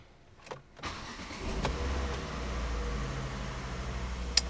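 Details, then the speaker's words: Volvo P1-platform engine (S40/V50/C30/C70 family) after replacing the oil filter housing with built-in PCV: starter catches quickly, oil pressure light goes out, engine settles into a steady, even idle with no knocks or rattles; healthy. "So now I've seen the light go out. I know we're building oil pressure. So I'm happy."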